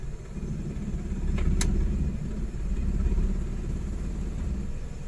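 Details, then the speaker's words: Suzuki DA64W non-turbo 3-speed automatic minivan, hard starting for weeks, aircon on, in gear: RPM sags to about 700–800 with a low, lumpy rumble and heavy engine shaking. Rough low idle in gear, cause unconfirmed. "Ang baba ng RPM talaga. Ayan. So sobrang nanginginig yung makina."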